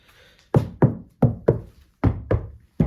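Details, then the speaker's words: Golf door panel after sound insulation: eight short, dull thuds with quick decay and little ring; vibration damping is present, and the damped door sounds solid and heavy. "На этом звукоизоляция завершена. Виброгашение присутствует, это слышно."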